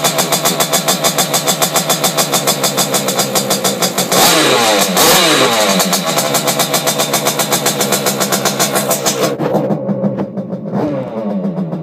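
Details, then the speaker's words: Simonini two-stroke engine in Piaggio Ciao moped, internal rotor, decompression-lever head, 21 mm carb, Fabrizio exhaust, first run in frame: fast crisp popping revs cleanly up and down twice, no misfire or leak hiss. Normal running. "so yeah the system seems to work so I'm quite happy about that and makes a lot of noise actually it sounds like it really wants to go"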